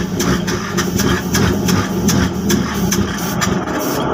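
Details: Regular cranking beats roughly every quarter second dragging on as the engine won't catch cleanly; slow, hard starting with long cranking.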